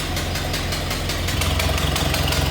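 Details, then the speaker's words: 1931 Ford Model A coupe, L-head inline four (201 cu in), 6-V system, three-speed manual: even idle with a quick, regular ticking puff about five per second over the low engine beat, a small exhaust leak noticeable on start-up. "Little bit of an exhaust leak you can notice when we start it up."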